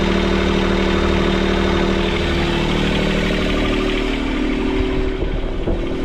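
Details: Sailboat port diesel running in reverse at anchor after a repair of four snapped engine mounts: steady, even beat, no knocks or rattles. Idle is too high because the throttle cable bracket was bent. Normal running.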